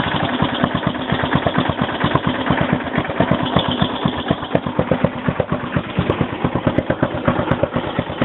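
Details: 2001 Yamaha XT600E at 27,455 km: single-cylinder thumping at low idle with uneven, sharp-edged beats; owner suspects a ping at low rpm, cause unclear.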